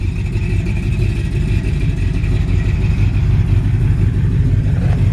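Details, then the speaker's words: 1965 Ford F100 with built 360 V8, Keith Black pistons, aftermarket cam, possibly bored over, automatic, engine mileage unknown, while driving: throaty low rumble with slight cam lope, no knocks or ticks; healthy. "this is a 360 um V8 and the previous owner said board over it definitely has a cam cuz you can hear it"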